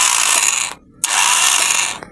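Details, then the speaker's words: Motorcycle with new battery, key start attempt; high thin whir spins up twice in short bursts with no engine turning, battery strong; starter spins without cranking, starter relay wiring to be checked. "Hindi umi-start mga kaibigan, para may umiikot lang sa loob. Hindi gumagana para may umiikot."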